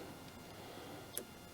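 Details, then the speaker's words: Kioti CS2520 subcompact tractor idling, third-function hydraulic solenoid triggered: two crisp clicks about half a second apart over a quiet background as the solenoid opens and closes, directing recirculating hydraulic flow to the front coupler; normal. "you can hear that click. That's opening and closing the solenoid in here, which directs flow up to the front, up to here, and then into your coupler."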